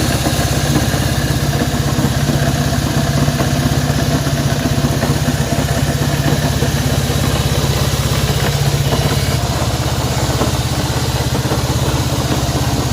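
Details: Honda CB190R single-cylinder motorcycle at idle; fairly steady low thump with a faint ticking clatter; internal engine noise, cause not identified.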